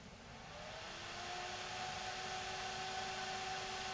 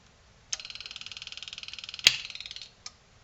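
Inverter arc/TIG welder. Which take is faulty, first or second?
second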